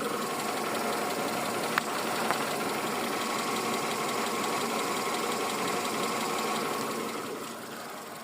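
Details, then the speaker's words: Car engine idling after an oil change, everything dry and leak-free: steady, even idle hum with light regular ticking and no engine knocking; normal idle. "et écoutez je n'ai aucun claquement moteur voilà"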